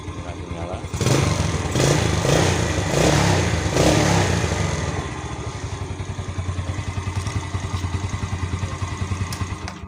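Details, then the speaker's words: Honda Beat scooter with a 12 V battery: starter spins light and the engine fires immediately on the third start, revs briefly, then settles into a steady, even idle with no misses. Normal start and idle. "Oke kita akan coba starter enteng dan langsung nyala sekali lagi oke enteng lagung nyala"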